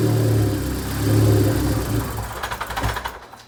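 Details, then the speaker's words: 2006 Audi A3 with a vacuum leak, after regluing a part with JB Weld: engine catches and revs briefly, then sputters and dies within three seconds, stalling after start. "it had a obviously uh bad vacuum leak so the car would stall uh whenever I would turn it on but hopefully this fixes it"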